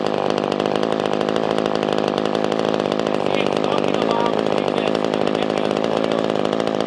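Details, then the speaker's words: Older Poulan 2000 chainsaw after carburetor cleaning and fuel line trimming, fixing a no-start: steady, even two-stroke buzz with quick regular firing, no misses, stalling or surging, left idling 10-15 minutes. Normal idle after repair. "so you guys can still hear it running in the background i'm gonna let it sit out there for probably about 10-15 minutes just kind of idling"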